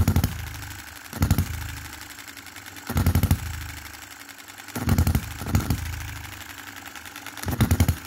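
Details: 2022 Enjomor Chinese hit-and-miss engine after fixes (spare piston ring, corrected valve timing, leaded governor weights, added spring and adjustable stop for quicker latching): slow even firing bursts roughly every 1.5 seconds, quiet coasting, no over-revving; normal governor operation.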